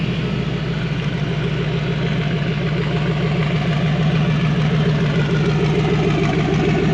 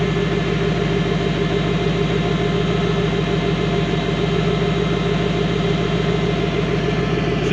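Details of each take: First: Fox body Ford Mustang V8 with CSU carburetor after fan switch replacement, warm near 185 degrees with cooling fan running: even steady burble but idle about 200 rpm higher than before, still smooth; high idle, cause unclear. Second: Idle on a fox-body Mustang coupe with a CSU carburetor and a new fan switch, engine warm on a nearly 90 °F day; it idles up a couple hundred rpm after the fan kicks on but stays steady, even and smooth. Normal idle.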